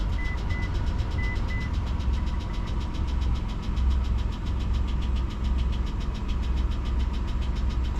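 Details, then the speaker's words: 2004 Mitsubishi Montero started after the fuel pump fuse was refitted following long no-start cranking: fast, even light ticking over steady idle, keeping pace with engine speed; cause unknown. "we got a little bit of ticking noise I'm not sure why"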